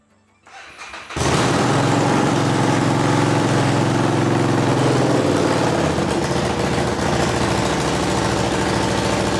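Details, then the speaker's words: Custom Harley-Davidson Street 500 V-twin after a top-to-tail custom build with upgraded parts, started before a final test ride; cranks and catches at about one second, then settles to a steady, even loping idle; normal, healthy start-up. "I'm going to start her up now so you can hear what this sounds like, and then I'm going to take it for one last test ride before this bike's out of the shop."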